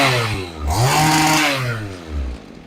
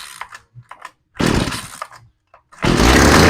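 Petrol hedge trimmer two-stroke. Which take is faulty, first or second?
second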